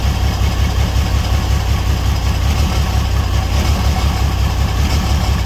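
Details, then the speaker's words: $300 auction car. Rough, uneven idle with irregular low thump and stumbling beat; owner says it sounds like exhaust but the motor has a miss and is visibly shaking. Misfire at idle, cause unconfirmed. "It sounds more in the exhaust than in the actual motors. The motor's got a miss in there."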